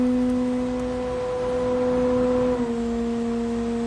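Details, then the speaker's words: Emco UMill 630 CNC spindle at 14,000 rpm: steady high whine with no resonant roar, quieter than at 11,000 and at 15,000 rpm (the maximum); this speed is the spindle's sweet spot. "That's even quieter, right? So, that seems to be the sweet spot for my spindle on this machine. So, that sounds better than 11 and even better than 15."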